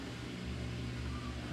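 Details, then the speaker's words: Samsung steam VRT washer drain pump after clearing the coin trap and hose drain: steady, even low hum of the pump moving water with no grinding or rattle; it now pumps normally after previously being dead. "hear the pump pumping, which I haven't heard in a long time. So I cleared the water in the back of the drum. I can still hear the pump spinning. Actually hear it pumping."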